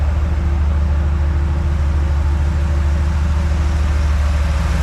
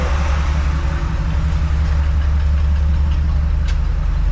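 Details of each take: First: 1954 Chevy truck on a 1991 dually frame, small-block 350 converted from points to HEI with a new intake and 4-barrel carb, warm: steady, even idle with no misses, just slightly fast. Idle speed set too high, turned down to 600. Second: 1954 Chevy rat-rod truck on a 1991 Chevy dually frame, small-block 350 with HEI ignition and four-barrel carb, idle turned down from slightly high to about 600–700 rpm: a steady deep rumble with no knocks or misses. Normal idle.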